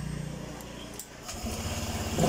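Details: Honda Vario 125 LED scooter after repairing hard starting and stalling when throttled (no MIL code): small engine idles, then revs smoothly without stumbling or misfire; normal running after fix.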